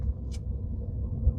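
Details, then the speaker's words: 2014 Ford Flex on a test drive, heard from inside the cabin: a low steady droning hum with road rumble and a grinding felt on one side through the floor. The hubs are ruled out and transmission is suspected. Grinding hum while driving. "it's like over there it's just like a hum and you hear the here it's like grinding but the but it's definitely not your hubs your hubs are good right I can't hear them at all from the outside"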